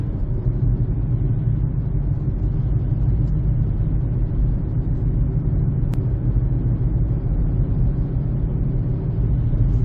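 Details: 2007 Honda CR-V, front tires (old tires used about 6 years): deep, steady droning road rumble while cruising that follows road speed; flat spots/cupping on the old tires, noise gone after replacing the tires.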